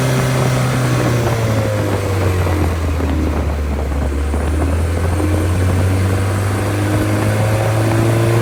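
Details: Freshly rebuilt engine FM95049UCE, good compression, oil pressure and water temperature: deep, even firing note climbing cleanly when revved and settling back smoothly, no knocks or misses; healthy and ready to go.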